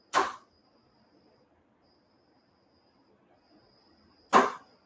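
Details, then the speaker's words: Cadillac limousine door popper relay, passenger door set to a two-second inching timer. One sharp clunk as the solenoid pulls in, then quiet, then a release clunk over four seconds later. It stays energized too long, longer than the driver door. "For some reason, it's longer than the driver door."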